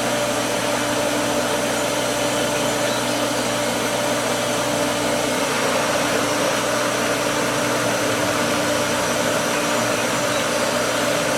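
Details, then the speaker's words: Pool pump during manual vacuuming after closing the main drain and other valves: steady motor hum under hissy rushing flow noise with bursts of water; pump clearing air from the line, may lose prime. "But it's going to take a minute or so to clear the air. We're getting, you know, bushes of water in there."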